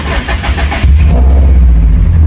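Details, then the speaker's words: Subaru switched from Cobb to Haltech ECU, started clutch in with no gas. Brief crank, catches at once, settles into even deep idle without stumble; healthy start and idle. "Fires right up. Nice and smooth, nice and easy. It's on the Halltech."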